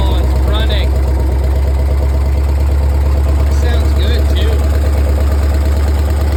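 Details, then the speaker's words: 1964 Chevy 283 small-block V8 with carburettor in a 1981 Jeep CJ-5, first start: deep, lumpy idle with steady, even firing and a few throttle blips. No audible vacuum or fuel leaks; runs healthy. "oh yeah that thing is Rowdy sounding no vacuum leaks that I can hear no fuel leaks so that's good"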